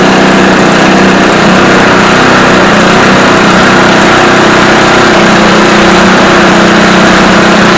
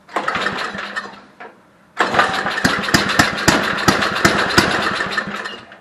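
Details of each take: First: Barn-find Homelite Jacobsen Imperial Sno 524 two-stage snow blower with a 5 hp Tecumseh, pull-started on choke. It buzzes hard and fairly steadily, then fades out and stalls; owner thinks it ran out of fuel. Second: Homelite Jacobsen Imperial 524 two-stage snow blower, 5hp Tecumseh, barn find that felt locked up; pull start on choke catches after a short pause into a quick, slightly uneven putter, then dies, likely out of fuel.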